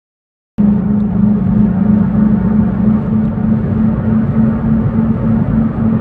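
A steady low hum holds under the road rumble at driving speed, constant in pitch; the source isn't identified.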